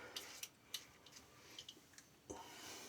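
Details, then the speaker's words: Colorlamb folding safety razor: light, irregular high-pitched ticking clicks when the head lifts off the skin, from loose play in the pivot (fulcrum) points; solid on the skin and does not affect the shave. "you can hear that rattle as I lift off. That's just the play in the the movements of this here. Does not affect the shave at all."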